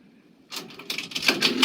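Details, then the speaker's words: Quick clicks and clunks as a second nickel goes through the vend cycle of a 1957 Cavalier CS-96 Coca-Cola machine's NRI Simplex 2 coin mechanism, after a coin jam was cleared; the solenoid releases the bottle stack normally. "the second nickel that's going through that bend cycle i actually heard it it triggered the solenoid"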